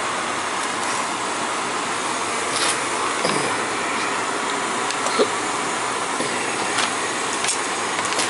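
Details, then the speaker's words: Gas boiler after flue vent damper replacement with end switch fixed, running during Testo 320 combustion test: steady rushing burner roar, no rumble or flutter, occasional clicks and handling noise; combustion numbers fine, firing normally. "so far so good it's looking pretty good to me all all them numbers look fine to me in the combustion so we're good with that"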